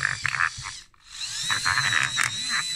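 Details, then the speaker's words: InMoov robot bicep: a modified servo drives a worm gear mechanism, with the screws already filed. Whirring bursts with a harsh gritty rasp: grinding suspected inside the gears near the top; grease later helped noticeably. "So as you can hear, it's still grinding quite a bit, so there must be something not quite right inside the gears themselves, because I don't think it's these screws anymore."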